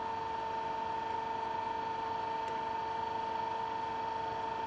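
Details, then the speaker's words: Induction motor under voltage speed control, at full 400 V supply and expected rated speed after stepping up from 100, 224 and 300 V; steady even hum with clear pure tone, no knocks or rubbing, running smoothly. "Then when I give full voltage to the motor, which is 400 voltage, I will expect the rated"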